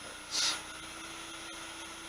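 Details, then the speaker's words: Verman 1hp two-speed 3-phase spindle motor on a Hui Chang VHM mill, fed from single phase through an XSY-AT1 inverter at a little over 70 Hz: a smooth steady hum with an even high tone, running normally. "a little over 70 hertz the motor has no problem with that almost 80 hertz no problem 85 hertz almost and first like a kitten"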